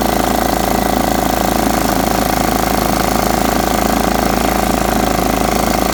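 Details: Riding mower's small single-cylinder engine after freeing a stuck carburetor float, new battery, fresh oil and filters: steady, even beat at constant speed, no misses or surging; runs healthy.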